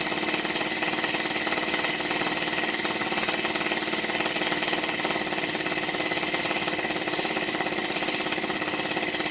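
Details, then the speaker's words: Little Blazer model steam engine, warmed up: fast, uneven, hissy, flat chuffing instead of a crisp even beat. The slide valve is not sitting square, possibly bumped or a slide spring issue, so it runs rough and lacks its usual sound. "if you look at the slide it's not setting square I wonder if I talk back dear it's not making the famous sound"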